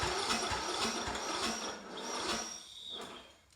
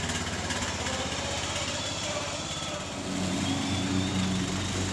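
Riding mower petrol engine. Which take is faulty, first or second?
first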